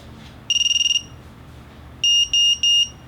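A quick run of about nine high beeps, then three longer even tones; that's the quad's normal startup sequence after a reboot.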